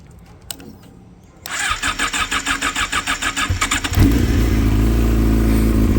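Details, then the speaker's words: Yamaha R6 started after maintenance, a new chain and flushing: the starter cranks in quick even pulses, about three a second, then the engine catches cleanly into a steady idle; a healthy start. "So I'm going to start it up to make sure I did it right and that it's good to go. And hopefully I put everything back together properly."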